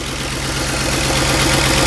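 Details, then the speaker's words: Ford F-150 4.6 V8 first start after rebuild (cam gear had been installed wrong way, now corrected): steady, even idle with smooth low rumble, no knocks or misses; great oil pressure from Melling 340 pump, known oil leak; normal idle. "Well, I'll be daggone. She sounds really good. Got great oil pressure from the Millings 340 oil pump,"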